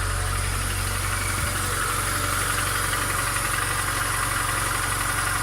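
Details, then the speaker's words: VAZ 2114 engine, 235,000 km, trial cold start at 0 °C after reassembly with new camshaft stud and lapped camshaft bearing beds, fixing knock and wandering idle: steady, even idle with smooth low rumble, no ticking or knocking; healthy. "пробный запуск сборка двигателя закончена температура 0 я только запустил забыл включить камеру ничего не стучит как раньше"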